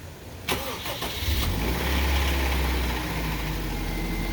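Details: 2005 Honda Civic DX after rod knock fix with polished crankshaft: petrol engine cranks briefly, catches, and settles into a steady, even idle with no knocking.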